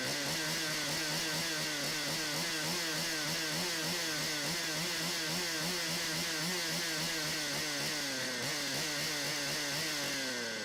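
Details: Stihl 025 chainsaw after oiler repair (new oil pump, worm gear, O-rings, pickup tube, glued pump holder): crisp steady high-pitched two-stroke buzz, slight rev wavering but clean and even; saw running healthy and oiling the chain.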